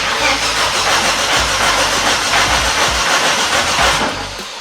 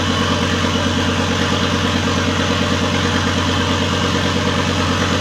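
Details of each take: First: Volvo S60 T5 front half cut off as donor engine: starter churns steadily about three turns a second with no firing; crank no start, engine malfunction message, OBD shows high speed CAN bus fault. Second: Volvo S60 T5 engine in a front half cut from the car, idling loud and raw with no exhaust fitted; steady, even, no misfires or knocks. Running after days of crank-no-start, once the airbag control module was removed.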